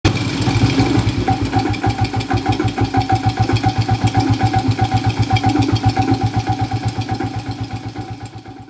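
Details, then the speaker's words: Old Suzuki Smash motorcycle, owner complaint of very rough engine: coarse hard pulsing about four beats a second with clattery edge at idle, dying away; damage likely severe, worn crankshaft bearings. "Oke, dengarkan baik-baik, bro. Suaranya sangat kasar. Dan kerusakannya kemungkinan cukup parah, bro."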